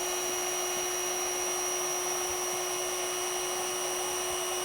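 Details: Intex AP634 (66634) Quick-Fill electric air pump, 32 W, 480 l/min, inflating a PVC boat; constant steady whine over rushing airflow, no surging or rattles: normal running.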